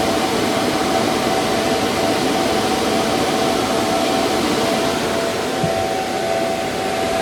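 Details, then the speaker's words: Antminer restarted with new 6,000 RPM fans (replacing 3,000 RPM), much quieter, exhaust piped through the wall: a smooth, constant airy rush with a faint steady tone, no ticking or wobble. Normal running. "I just started it back up. New fans, as you can tell, it is much quieter."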